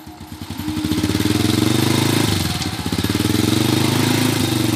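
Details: Honda Supra Fit motorcycle, formerly used to haul mustard greens and brought in for rough noise and heavy smoke, revs crisply and settles cleanly with even firing, no knocks or rattles; now not smoking, sounds healthy.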